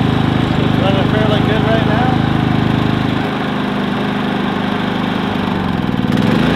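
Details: Predator 3500 inverter generator, 18 hours of run time, which had a stumbling issue blamed on a clogged spark arrestor. Running with the spark arrestor removed, it gives a steady, even drone with no surging or stumbling.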